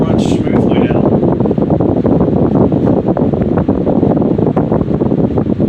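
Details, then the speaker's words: Restored Patton 14" U2-1479 fan on high speed after new oil wick felt, fresh bearing oil and revarnished stator; steady rush of air over a low hum, no scraping, rattle or wobble, normal running. "Let's go ahead and plug it in. And let's start it up on the high speed."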